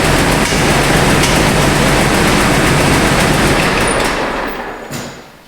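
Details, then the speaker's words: Jeep engine with heavy sludge, worn and poorly maintained, on a rough cold start before warm-up and Seafoam: fast, steady tick of about three per second from a pushrod out from under its rocker, unseated for the third time; owner suspects sludge. "so as you can hear that's pretty horrendous so before i do anything with this as far as warming it up or anything else i need to get the valve cover off i need to fix the uh the push rod get it back underneath the rocker"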